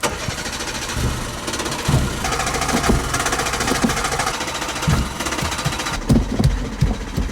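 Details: Old Peugeot 106 being cranked with hard pedal pumping: the engine turns over with uneven sputters and weak firing bursts but never catches; cranks but won't start, cause not confirmed.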